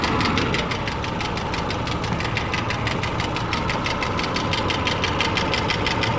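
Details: 2008 Subaru Legacy 2.5i Limited flat-four at idle: crisp, steady ticking about three per second from the passenger side, with P0303 cylinder 3 misfire code; source unknown, owner wonders lifter, valve adjustment, timing or rod bearing.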